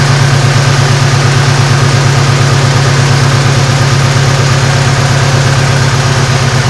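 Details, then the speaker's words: 2006 Saturn ION after engine replacement, first start: initially misfired and shook, then smoothed into a steady even idle with a deep loud exhaust and no knocks or misses; the engine is quiet and sounds healthy. "That engine sounds good."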